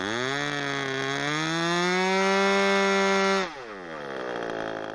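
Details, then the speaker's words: ASP/Magnum .21 model airplane engine during run-in, needles set rich after low-speed needle was three quarters of a turn rich; high steady buzz at full throttle, then clean drop to idle; normal running. "pretty sweet I think now it just needs to be flown for another couple of Tanks a rich setting and we're good to go not bad for a 45 quid engine"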